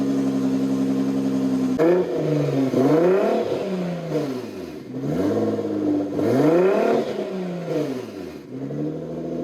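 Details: Wrecked 2016 Nissan GT-R, 37,000 miles, dashboard apart, key in backup slot: engine catches cleanly, revs rise and fall smoothly several times with an even, steady exhaust note; healthy engine.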